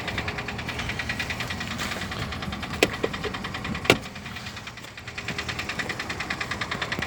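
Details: Daewoo Lanos engine at idle: quick, regular light ticking over the idle throughout, keeping pace with engine speed; noisy hydraulic valve lifters.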